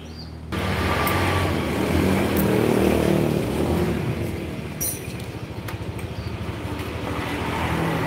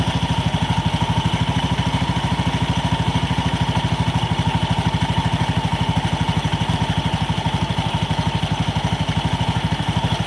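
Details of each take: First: Honda Beat scooter after repair: steady, smooth engine note with even pulse, no belt squeal and no clattering knock under acceleration anymore, power good; running healthy. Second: Honda Beat scooter: fast, steady clatter about three knocks a second heard when throttled over idle, plus an occasional squeal; cause not yet identified.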